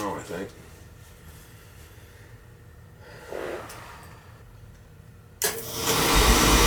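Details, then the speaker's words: Beckett oil burner that was starting hard at times, after a new nozzle, with good spark, oil pressure and flow: quiet stretch, then a sudden whoosh as the burner lights and settles into a steady, even roar; normal ignition. "seems to be firing that there good spark good oil pressure good oil flow"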